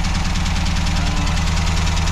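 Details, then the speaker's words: MGB GT with its worn C-series engine started on choke: a loud, raspy, uneven idle with rapid puffing chuffs. This is an exhaust leak. "Exhaust leak here. Let's turn that off because it's so loud."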